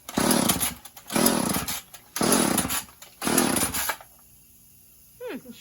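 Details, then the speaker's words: Chainsaw that has been sitting, run with no bar or cover fitted and a broken kill switch; four rasping pull-starts with the choke on, each dying without catching, before it eventually runs. Hard starting. "Choke switch. Maybe it doesn't want to start up. Maybe it doesn't want to start up."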